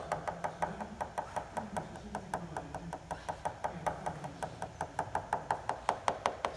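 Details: Tap test on a composite glider wing at annual inspection, over a dent in the top surface above the main spar: quick, even, crisp bright clicks about three a second. Solid tone of well-bonded skin, with no delamination there.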